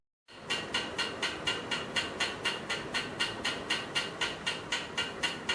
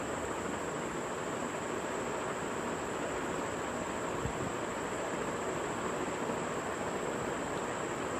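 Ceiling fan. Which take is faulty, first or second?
first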